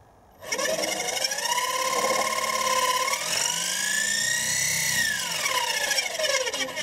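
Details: Wood-turning lathe in shed: steady high-pitched hard-edged whine bending up then falling back in pitch, persisting after the back was taken off and it was unplugged and checked; source unknown.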